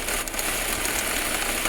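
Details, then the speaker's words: Jeep Renegade engine at idle: fine dry rattling whir, mostly treble, from the water pump, whose pulley has play; worn water pump bearing, to be fixed by replacing the pump. "Vou mostrar o que que é esse barulho, ó. Esse barulho, ó. O seul e vem aqui, ó, da bomba da bomba d'água aqui, ó."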